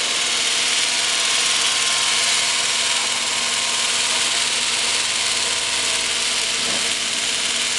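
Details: Restored waterworks DC motor started from the switchboard, resistors stepped out, fed by a 300 A rectifier, deadman contactor shimmed closed: steady, even whirring with constant tone and no knocks or surges as it spins up, normal running.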